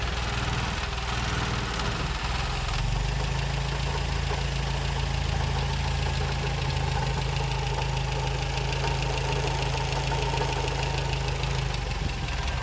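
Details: 1956 Triumph TR3 four-cylinder with an uneven idle and a light tapping of about three beats a second over a low rumble; engine knock of unknown cause.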